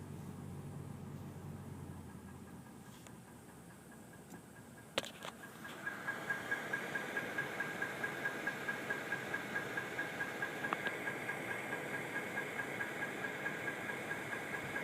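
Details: 2013 Toyota Tundra idling, just after the A/C cycled, with a steady light knock about one and a half beats per second; the dealer says it is normal, cause unknown.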